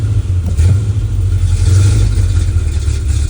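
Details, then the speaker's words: Dually pace truck with TBI, throttle given while fuel pressure reads only about 3-4 psi: deep engine note surges unevenly and bogs; starved for fuel, owner suspects a bad fuel pump. "So we're like, what's that, 3 pounds of pressure? I think we got a bad fuel pump."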